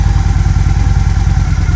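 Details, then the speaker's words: Liquid-cooled motorcycle idling with the idle screw turned down about a sixteenth of a turn, radiator cooled by garden hose: slow even low thumping around twelve beats a second; charging output drops from about 14.6–14.7 V as idle is set too low. "down a little bit goes from 14.6 6 to 67 and this isn't that big of a difference in the idle speed"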